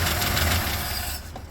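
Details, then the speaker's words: 1970 Dodge Dart Swinger, 225 slant six with A904 transmission, first start after long storage on old, dark fuel. A dense rumble as it fires readily and holds briefly, then fades away; it starts but doesn't keep running. "I don't think you're running on that fuel no but you saw what I meant pretty dark but it started I mean that was pretty easy"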